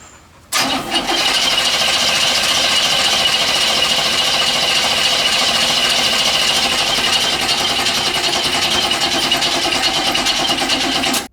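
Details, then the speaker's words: 1965 El Camino long sitting, after a battery jump: starter cranks steadily about ten seconds but never fires; the carb was found bone dry, a no-start from fuel starvation. "And nothing. So we decided to take a look at the carb, and it was bone dry. We thought maybe it wasn't primed, so we filled the bowls."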